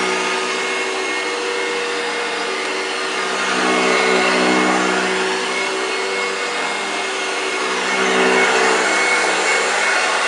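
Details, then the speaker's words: 1965 Hoover Junior 1334A upright vacuum running on carpet. Steady high whir with a raspy, dry edge that rises and falls slightly. The motor sounds a bit dry yet performs without fault, cause unclear. "i'm quite pleased with this one really really pleased with this one sounds a bit dry as you could hear but nevertheless she performed without a fault"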